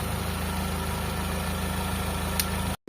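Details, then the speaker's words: Car after carburettor tuning and clearing a blocked vacuum intake port, previously hard starting: one-click start, then smooth steady idle with even low beat, no misses or surges; normal idle. "Ayan mga boss ah madali na siyang paandarin. One click start na."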